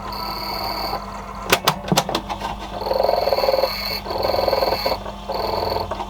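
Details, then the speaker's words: Conion C-124F boombox cassette deck running empty after an earthing fix: a croaky chattering squeak in short bursts over steady motor hum, seemingly from the idler assembly; transport still noisy, cause unconfirmed. "sure what's making that noise. Something there on that idler assembly."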